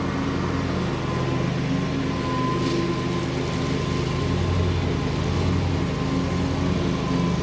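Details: Bobcat Predator Pro zero-turn, Generac engine, after repair for losing power in tall grass, sharpened balanced blades, mowing: steady even drone, no sag or stumble under load; couldn't make it bog, considered fixed.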